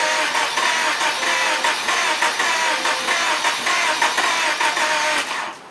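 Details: Car sat 6 to 9 months; revived 5-year-old battery once at 0.75 V. Cranked in gear to jump the car, it rolled as the brake freed. Several cranking bursts, then the engine catches and runs briefly before cutting off; starter turns it strongly.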